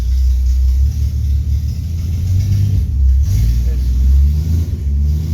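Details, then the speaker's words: Car run on premium fuel, home start: steady, even low rumble with no knocks, misses or surging; smooth healthy idle, still runs really well. "but yeah this car runs really good still I just wish I could drive it"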